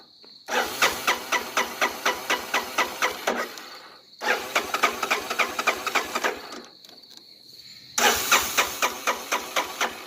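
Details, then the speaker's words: 1985 Honda Big Red 250ES, cold, sat long, hasn't started in a while, tank believed full, oil good: the starter churns in steady even pulses, about four a second, in three long bursts with no firing. Cranks but won't catch. "Let's see how my dad's Big Red starts. Hasn't been starting in quite a while."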